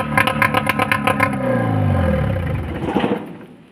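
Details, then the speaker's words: Yamaha 15 hp outboard powerhead run: it blips and settles with even firing and the earlier tick is gone, so the engine is fine and the tick comes from the lower unit. "dia bunyi tik tadi sudah sama sekali hilang berarti di bagian mesin ini aman"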